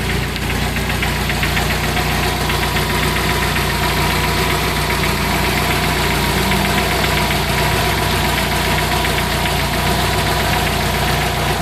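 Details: 1994 Jeep Wrangler 2.5 engine at low rpm: rough low idle with uneven knocking and rattling ticking, about three to four a second, from inside the engine; engine knock.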